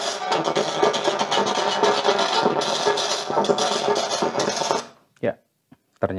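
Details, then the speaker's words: Vega active speaker with modified Bluetooth/MP3 player: music comes through rough, hoarse and gritty on loud notes from both L and R channels; owner suspects burnt power amplifier, checks final transistors. "Sama Saja ya l&r suaranya kotor serak seperti itu"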